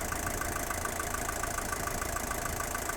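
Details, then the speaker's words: 1977 Mercedes-Benz 240D (W123) diesel, about 67 hp when new, heard under the hood at about 500 rpm idle. An even clatter at roughly 3.5 beats a second with no stumbles or knocks: a smooth, healthy engine. "so we'll go out and listen under the hood now it's a very smooth running engine it starts quickly in the cold"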